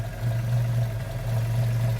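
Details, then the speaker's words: Engine still on some choke after cleaning and regapping a nearly closed, sooty number four spark plug and resetting points gap: steady even low idle, no exhaust popping or misses; ticking over normally. "But now, I'm pretty happy with what's going on now here. That's ticking over nicely."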